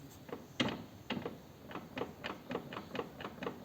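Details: 2008 BMW K1200GT shaft drive, rear wheel turned by hand in gear: slow regular crunchy clicks about twice a second with driveline play; owner suspects worn front cardan universal joint, noise worst under hard acceleration in first; final-drive oil showed no metal shavings.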